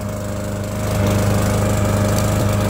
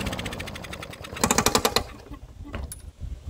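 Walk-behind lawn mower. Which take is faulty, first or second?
second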